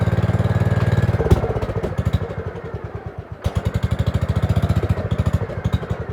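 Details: Gravely 5665 freshly fitted with a China carburetor (after a 15hp carb was tried), air cleaner on: uneven, lumpy chuffing of about three to four beats a second wanders and sags, and it only keeps going on part choke.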